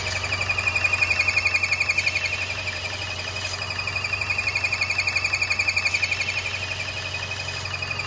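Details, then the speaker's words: 2014 Chevrolet Cruze 1.4L with intake airflow and oxygen sensor codes, at idle: a thin high whistle pulses about four times a second as the engine struggles; failed PCV valve, later fixed with a PCV kit. "let's step the engine here you hear that noise [Music] i mean the engine is struggling and as you can hear the noise"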